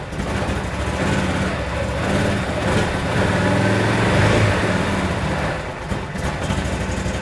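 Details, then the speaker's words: 2016 Can-Am Defender HD10 XT, abandoned about five years, first start with fuel injectors suspected stuck, in park: steady low even thump, no stumbling or misses; normal idle. "all right she lives oh yeah like butter"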